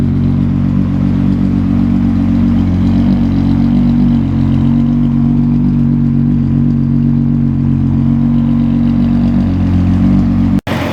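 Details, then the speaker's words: Car just fitted with Autotech 262 cams and new spark plugs, no matching chip yet; steady, even idle with faint lope, no knocks or misses, running smoother than before; normal idle. "Running nice and smooth on this side. Everything is nice and smooth back here."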